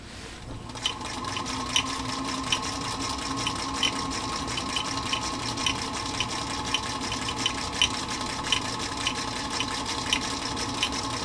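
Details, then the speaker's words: Singer Featherweight 221 whose motor nearly died after being oiled with the wrong lubricant, after repair, sewing circles on US Army canvas: even motor hum with a light regular needle tick, strong and unlaboured; machine running healthy. "we're just going to buzz around it a little bit and give this machine a chance to show its stuff after it was really really close to death"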